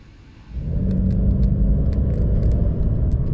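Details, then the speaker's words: BMW E90 320i N46 engine on road test after repair of rough idle, hesitation and P0300/P0301/P0134 codes; pulls up with a steady, even drone, no stumble, no fault codes or engine light, performance restored. "so I'm just driving this on the final road test now uh engine light has stayed off no fault codes coming back and complete performance has returned we have no erratic idle"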